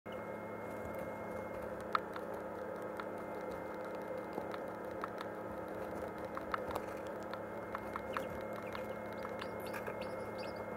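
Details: Canon Ixus 230 HS camera: light, uneven clicks from the lens, heard over a steady humming incubator.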